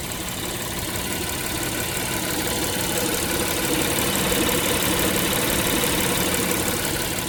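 Steady idle with a faint, regular ticking patter and light tonal hum over the base note; abnormal engine noise, cause not identified.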